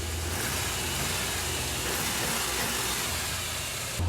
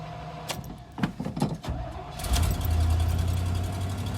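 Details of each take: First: Orange Suburban V8 after third exhaust manifold reseal: steady low idle with no puffing or ticking; leak fixed, engine quiet. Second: V8 in an orange Suburban after retightening the exhaust manifold, suspected leaking between the paired ports. It cranks and catches into a rough idle with a faint, quick puffing tick, and the manifold still leaks, so the fix didn't work.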